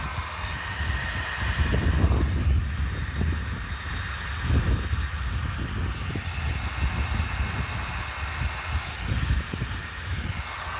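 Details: Force .25 CNC nitro engine in an HPI RC car, first start after pre-heating: busy, buzzy small-engine chatter running steadily with mild surging through the first heat cycle. Normal running during break-in.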